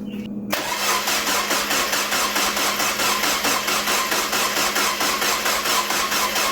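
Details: Freshly rebuilt 1.8 BP4W Mazda Miata engine, first start after sitting a decade: catches after brief crank, then uneven pulsing idle, running rough; codes only for unseated coolant temp sensor plug and uninstalled knock sensor, rough-running cause unknown.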